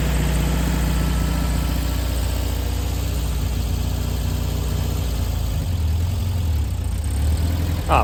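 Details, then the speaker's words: 1964 VW Beetle first drive in 20 years after new clutch arm spring: steady low flat-four thrum pulling evenly under light load, no knocks or slipping; engine and clutch sound healthy. "Pedal feels good. And here we go. The first drive in 20 years."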